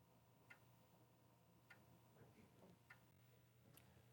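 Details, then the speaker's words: Atari STf floppy drive during a disk test: faint sharp ticks about once a second over a quiet hum, assumed to be the head slowly stepping toward track 40; later it seemed to hit its end stop, test possibly stuck or failed. "I mean, it's ticking along. I'm assuming that's the head slowly moving up to track 40."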